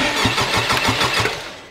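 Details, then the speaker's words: Wrecked 2021 Honda Civic Type R after its first start during the rebuild, with broken motor mounts and a holed oil pan. There is quick even starter chugging for under two seconds that never fires. Owner guesses a computer or ECU got tripped, not confirmed. "so we got the first start we could not get anything past the initial first start for some reason I'm guessing some sort of computer or ECU maybe just got tripped"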